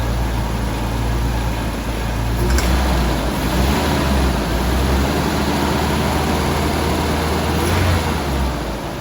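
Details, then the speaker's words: Jaguar XJS first run, warming up with a high hot idle, cleaning product burning off, heard from the rear. Loud steady low drone with a rough undertone. Abnormal running noise of unknown source; owner hopes it isn't the oil pump. "Sounds loud. I don't know what that noise is."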